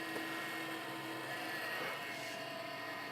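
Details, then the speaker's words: Wombot Exilis 3D printer powered on during BPS V3 extruder install, bed and extruder cold at 14 and 15°: steady whirring hum with fixed whining tones; cooling fans noisy at first, owner wants better fans. "these fans are a little bit noisy at first uh I'll just turn it on to make sure everything appears to be okay I really need to get some better fans"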